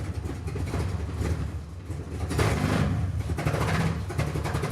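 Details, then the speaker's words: Salvage-auction Jeep Cherokee, after new fuel filter, regulator, fuel line and NGK V-Power plugs: idles but note breaks up and surges when throttle opens, stumble on throttle; owner doubts head gasket (no coolant in oil), suspects fuel pressure or crank sensor. "Give it gas, it does that. I mean, what if it's head gasket?"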